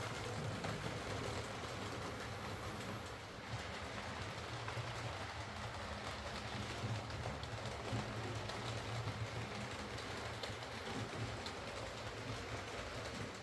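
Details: Used Hornby R2959 Thompson L1 2-6-4T on the layout after the fix: quiet, even motor hum with soft, steady rail clatter and no grinding or catching. Greasing the worm gear cured the forward grinding caused by too much gearbox play.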